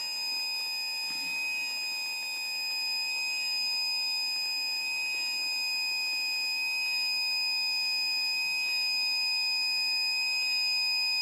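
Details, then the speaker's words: Brand-new battery backup sump pump, not working after one day, tested with the primary pump unplugged and the pit filled. A continuous shrill alarm signals battery activation and lost charge, but no pumping sound is heard and no water moves. "er the backup pump as you can hear the alarm is going off that the battery is uh been activated and it's lost some of its charge and hopefully you can hear the pump running"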